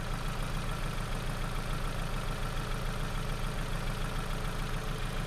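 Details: Ford Focus idling on customer-supplied spark plugs; low, lumpy idle with a steady stumble about three times a second; scope shows very low spark line and very high kV on cylinder two, misfire from faulty plugs.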